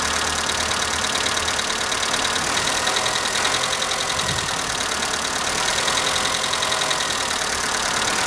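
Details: Skoda Fabia at cold morning idle: light, fast, uneven top-end ticking; owner suspects hydraulic lifters, but dealer replaced all 16 in three visits and the noise persists; cause unconfirmed.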